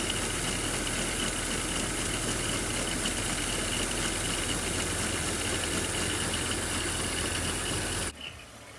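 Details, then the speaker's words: 2005 BMW X3 (M54) idling: busy rattling whir and faint high ring from the worn serpentine belt tensioner, which visibly wobbles and grinds; worn tensioner noise, diagnosed before replacement. "As you can see, the tensioner is wobbling around and it's also making a lot of [Music] noise."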